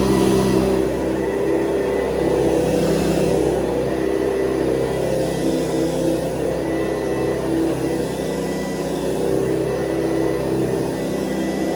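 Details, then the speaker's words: 1970s Hoover Convertible upright vacuum cleaner running normally, with an even, fairly high-pitched motor hum that is higher than the previous model's low hum, and no rattles or surging. "Okay, so when you hear this one, you're going to hear the big difference in the sound of the motor, because we go from the sort of low humming motor of before to this sound of motor, which is a little bit more high sounding."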